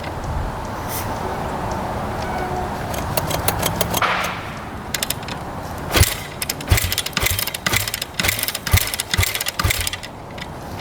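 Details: 2009 Kawasaki KX250F four-stroke, choke on, fuel on: repeated kick-over clunks and rattles with no firing; no-start from low compression.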